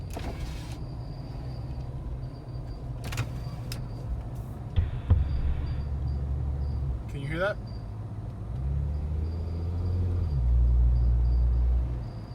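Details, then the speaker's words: Jeep Wrangler after an off-road trip through deep water and mud, in freezing weather, recorded on a phone: a thin, high intermittent whistle over engine and road rumble; the owner suspects mud or sand got in somewhere. "almost sounds like a whistle"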